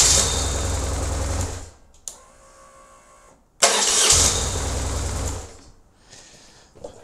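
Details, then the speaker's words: BMW R1150GS motorcycle after the noisy starter motor fix: two brief, clean cranking bursts with the starter dropping out smoothly and no grinding; it had previously hung on, being turned by the engine after start. "much better and that literally took 10 minutes to do"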